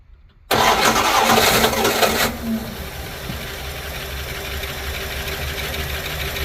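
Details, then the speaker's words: 1972 Plymouth Fury I after years of neglect, gas poured into carb float bowl vent and tank: loud rough burst on catching, then ragged uneven idle while trying to choke and pull gas; fuel starvation suspected. "Trying to get it to choke and pull gas."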